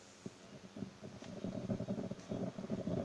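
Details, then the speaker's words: Labtec powered speaker crackling and rumbling irregularly as its cable is wiggled; fault in two places, possibly the cable; repairer plans to replace the volume potentiometer first. "потрескивает. Шевелим здесь. Тоже потрескивает. В общем, то ли в двух местах она проблема с проводом, то ли еще что-то."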